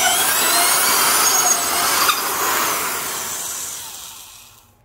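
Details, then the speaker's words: Porter-Cable #372 1/2-inch heavy-duty compact D-handle drill with a 3.6 A motor, drilling a deep hole and drawing an estimated 5-7 A; motor pitch sags as the bit bites deeper but keeps pulling through, then spins down. Bogging under heavy load, normal for this drill. "could still hear it bogging down but it was pulling through and that's exactly the kind of situation that makes a tool actually heavy duty"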